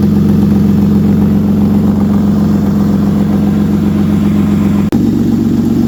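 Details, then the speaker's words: 1967 body-swap Mustang with 3.0 engine that stalls and floods when warm, running with breathers instead of factory intake: steady low drone with idle rising and falling and a brief dropout; hunting idle, not overheating, cause unclear. "Starting to idle up and down a little, but it's doing fine. It's doing fine. We're not overheating. You can see. Just trying to find itself."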